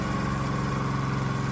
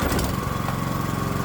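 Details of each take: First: Predator-type small single-cylinder engine on a custom adjustable electronic ignition (GM LS coil pack, inductive proximity sensor), with timing advanced to 47° BTDC. The idle putters with an uneven, labouring beat; the engine runs rough when over-advanced. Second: 212cc Predator small engine on a custom adjustable electronic ignition (GM LS coil pack, inductive proximity sensor), timing about 24° BTDC: starts right up, steady even single-cylinder firing with no misses or knocks; runs clean.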